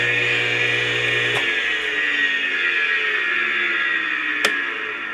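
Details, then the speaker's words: Old air compressor motor being reconditioned, rust present, temporarily wired for test: smooth motor whine winding down with two sharp governor switch clicks; motor sounds healthy. Normal motor run. "you can hear the governor working too"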